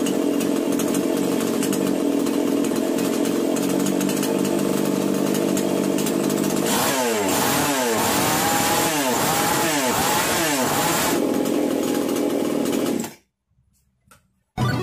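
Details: Chainsaw after starting-problem repair and screw tightening: steady idle, then several clean rev-ups and drops with crisp throttle response; normal running.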